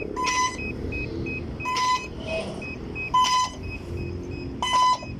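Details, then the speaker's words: Spraying drone before repair during three failed attempts to link the remote: groups of sharp high beeps about every 1.5 s. After a recharge the ESCs would not turn on and it would not link. Cause unconfirmed. "Try number 1. Try number 2. Try number 3. Still trying to link, and the drone making the sound."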